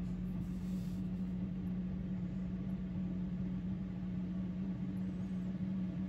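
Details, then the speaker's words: 5 kW Chinese diesel heater in a 1995 Chevy Astro camper van, first lighting: a smooth, even low hum as the fan speeds up and the heat turns warm; it runs cleanly. A slight smell was traced to exhaust blowing back, possibly from air left in the line. "you can hear the fan increasing i've got warm"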